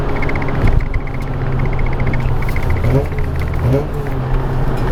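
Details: Mazda RX-8 cruising after the loose undertray was zip-tied back up; steady engine and road drone with no buzz or rattle underneath; normal cruise, rattle was just the undertray.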